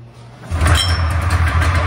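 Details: Polaris Trans Sport two-stroke snowmobile, first start after 10 years, fuel system serviced, plugs cleaned, choke off: quiet cranking, then it catches and runs with a steady, slightly lumpy low putter.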